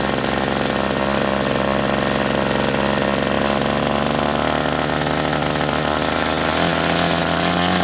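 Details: OS 120 AX glow engine on a test stand, break-in run at about 63°F, hand-started after priming: loud, high, even buzz at constant pitch with no sag or sputter; running cleanly.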